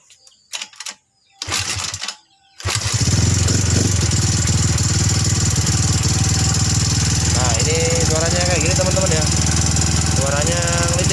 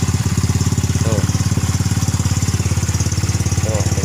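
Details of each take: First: Rough, clattering tick and harsh idle from a Yamaha Mio M3 scooter, run without air filter and hard to start, after 58 mm piston, shaved camshaft and CVT tuning; piston fine, fault in valve and camshaft area. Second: Yamaha Mio M3 scooter after repair (new camshaft, rocker arms and valve seals): steady even idle, no knocking, only intake filter and loud oversized open-exhaust putter.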